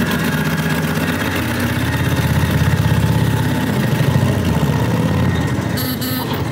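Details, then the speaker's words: Motorcycle last run around 1992, about 30 years earlier, possibly not its original engine: deep, loping V-twin putter that holds steady, then rises as the throttle opens; runs strong, even and fast. "right man it sounds good when you open it up out there it's fast yeah well you can hear it fast man you can hear it yeah"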